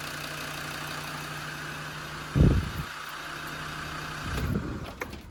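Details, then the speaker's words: Land Rover Defender 90 turbo engine at first start after a top-end rebuild: steady even idle with a clean low hum and a couple of smooth throttle blips; no tappet noise or piston slap, good compression, healthy. "There we have it, guys. It's finally running and it's sounding really, really good."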